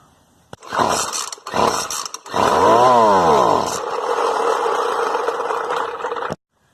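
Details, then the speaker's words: Fairly new Poulan Pro weed eater that starts only on choke once primed: pull-start rasps, a brief high buzz fades and the engine dies within seconds, starved of fuel because the fuel line broke off inside the tank. "it'll start on choke once it's prime not only right for a maybe a second I'll show you but it stops right away so it's starting for fuel"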